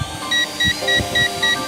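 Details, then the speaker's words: Eachine E520S GPS drone controller giving its low-battery warning at 22% during a hover battery test: five short evenly spaced high beeps, three or four a second, over faint hum; drone lights also flashing. "story about to run out of power 3 so you hear that beeping 22% on the bet your gage"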